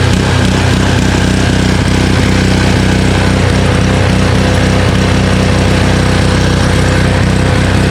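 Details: Honda Harmony HS520 four-stroke single-stage snowblower after carburetor clean and governor spring and idle screw adjustment: steady, even thumping at constant speed with no rise and fall, governor holding smoothly; engine sounds healthy.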